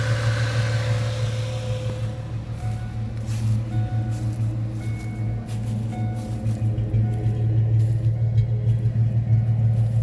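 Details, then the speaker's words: 1998 Ford Mustang, first start after about ten years sitting, warming toward normal temperature: low, steady idle hum with even rhythm under background music, no misses, knocks or ticks; very smooth, quiet healthy idle. "that's how smooth that that motor's running very smooth very smooth that's so quiet wow"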